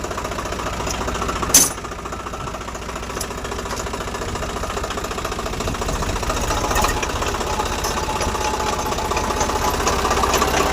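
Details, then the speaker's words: Swaraj 744 tractor diesel running, moving in reverse: a rough, repeating knock about three times a second, only in reverse gear, not in first through fourth, for three days; gearbox to be opened. "మనం ఇప్పుడు trial పోయినాం కదా reverse gear లో only reverse gear లోనే sound వస్తుంది."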